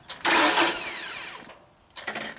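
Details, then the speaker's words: 1995 Genie Z45 gas/LP lift that stalls and won't restart from platform controls: holding the start switch primes the fuel pump without cranking. A brief high electric buzz winds down when released, then restarts; pump draws about 0.7 A without the test light. Normal fuel pump prime. "first you can make the fuel pump run or prime by holding the start switch in the position, and it will not crank over, it'll just turn on the fuel pump."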